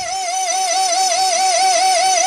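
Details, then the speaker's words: 1992–93 Mercedes 600SL V12 throttle body actuator motor: high warbling screech wavering up and down with no engine running, no axle play; worn motor sleeve bearings, to be rebuilt with the gear height readjusted. "there now there we have it motor spinning nothing is moving as you can see no no axil play here funny funny problem"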